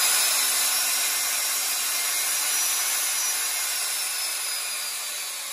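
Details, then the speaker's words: Used German Precise Super 65 drill press, air-cooled, up to 45,000 RPM with speed control: smooth high airy cooling-fan whir easing slightly, no grinding or rattle; normal motor and fan operation. "Yeah, it's air cooled. You can hear that in the sound. There's the fan."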